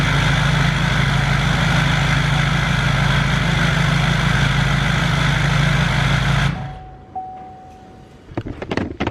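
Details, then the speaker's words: Duramax diesel swapped into a squarebody, first start of a fresh engine with break-in oil, new camshaft and bearings, shut off right away before a 2,000 rpm break-in: steady, even diesel rumble for about six seconds, no knocks or ticks; healthy idle. "So, there you guys can hear the truck did start. However, I immediately shut it off."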